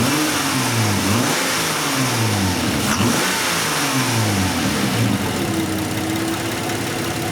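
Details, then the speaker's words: Nissan Maxima after repairing a misfire traced to an injector: smooth, even idle that climbs cleanly through several quick revs and settles back without stumbling or miss; normal idle and rev. "nice and steady no miss it revs good so we definitely fixed our misfire"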